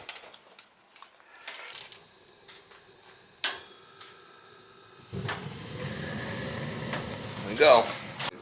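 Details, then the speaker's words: Gas steam boiler at a bakery being refired: a few faint clicks, then a steady hiss of steam leaking at the sight glass gasket; the leak was flooding the gas valve, and the gasket was later tightened. "Alright, should be able to fire it back up again. Yeah, leaker. Yeah, leaker. Something's leaking up there."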